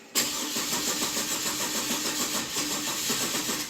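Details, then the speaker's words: 2008 Chevy Trailblazer, inline six, not running, battery on charger: starter churns evenly for several seconds but engine never catches; owner suspects weak fuel pump or fuel filter, later measured about 60 psi fuel pressure while cranking. "I think it's going to go yeah come on baby we may have a weak fuel pump I don't know"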